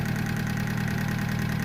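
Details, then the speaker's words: Honda Civic with a freshly installed D16Y7 engine, first start after install, cold idle: fast, busy clatter over the engine note, noisier than it should be; owner had adjusted the valve lash and hopes it quiets once warm, cause unconfirmed. "noisy. I did adjust the valves on this, so I did adjust the valve lash on these, so maybe once it warms up"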